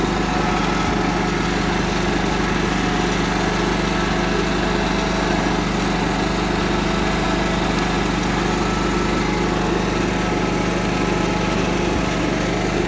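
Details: Cub Cadet 1330 Kohler engine, first run after long sitting, with a plastic piece removed from the tank outlet; fast, even beat with no misses, knocks or surging; runs smooth.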